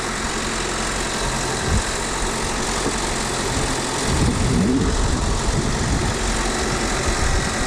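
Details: Fiat Panda 100hp Sport, first start after two years sitting, new battery and alternator belt, alternator freed and oiled after sticking: loud, steady idle with even low rumble and no squeal, knock or grinding from the belt end; running normally and charging.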